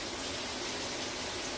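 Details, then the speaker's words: Cedar Creek 37 ft 5th-wheel RV water heater start-up after anode rod replacement, purging air from the line: smooth, even rush of water with no sputtering or air spitting; flow is steady. "if it runs pretty steady for about a minute or so i think that's good for me"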